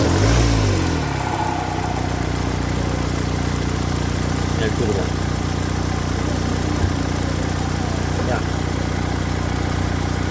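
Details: Ford Kuga 2.0 TDCi diesel drops from a rev with a falling whistle-rattle then idles steadily; worn turbo thrust bearing lets the shaft move axially when accelerating stops.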